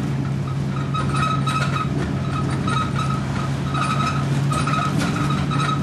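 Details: Stagecoach Fife Volvo B10M/Alexander PS-type diesel bus 20335 (R335 HFS), called the unhealthiest of its type, on route 39 from Kirkcaldy to Glenrothes Newcastle in 2012; a high squeal comes and goes in bursts over the steady low diesel drone while driving. Source unknown.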